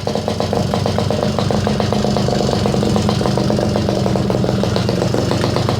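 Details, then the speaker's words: Garelli SSXL moped two-stroke on the stand, timing rough-set and still to be readjusted, poor carburetor: quick, even popping at a steady idle with no misses or knocks; idling cleanly and happily. "I think she sounds pretty happy like I said timing we'll still have to go through and readjust once we"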